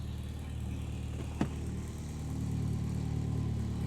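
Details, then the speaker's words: Mitsubishi Evo X after engine install, with new twin-disc clutch, first start before test drive: steady low quiet exhaust burble, even, no rasp or rattle apart from one brief click; normal idle. "Well, dude, this sounds good. >> Not bad. >> Not loud. >> That's what I'm saying. >> Not raspy. This is all good."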